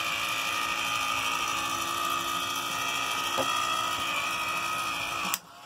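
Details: 2007 EarthRoamer XV-LT, bathroom: steady high-pitched motor whir for about five seconds from a push-button shower unit whose handle was replaced, then clean cutoff; working normally.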